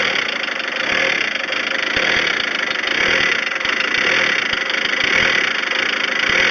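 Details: VW Transporter T4 with unstable idle, power loss and heavy white smoke: idle surges and sags about once a second. An air leak was identified at the crankcase breather recirculation hose to the intake, and a timing kit was also listed.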